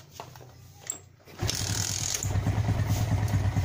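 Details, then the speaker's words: Motorcycle with carburetor misfire (brebet) that persisted after carburetor and jets were cleaned, fault traced to the fuel tap: after the fix it starts and holds a steady, even idle of about three beats a second with no misses. "sekarang untuk posisi langsam Sudah enak ya teman ya"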